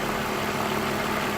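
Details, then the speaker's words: 2002 BMW 320i 2.2 six-cylinder, warm idle, listening under the hood during an oil service; a constant mid-pitched whir over the engine note; source not confirmed. "And there's something whirring away. You can hear that whirring away."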